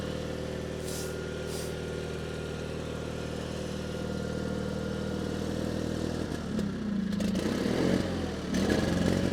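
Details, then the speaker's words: 1987 John Deere 316 small single on choke, first start after purchase: low uneven labouring beat, stumbles and surges; very cold-blooded, owner suspects partially plugged carburetor jets, unconfirmed. "really really cold blooded proba probably the Jets are partially plugged up in the carburetor"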